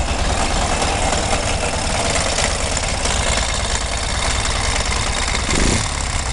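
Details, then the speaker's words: Ural M67 boxer motorcycle has a loud, rough idle with a heavy low thrum and a clattery knock inside the engine; owner suspects the piston and plans to open it once the weather warms. "Заводим. Отлично слышно, что звучит какая-то фигня, скорее всего поршня."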